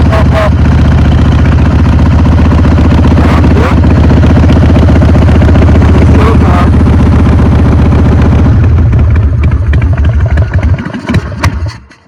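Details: Motorcycle that had not run for a few years, cold and on choke, with the accelerator pump squirting fuel: a deep, loping idle that stumbles now and then. The owner expects it to clear with fresh fuel and a few rides.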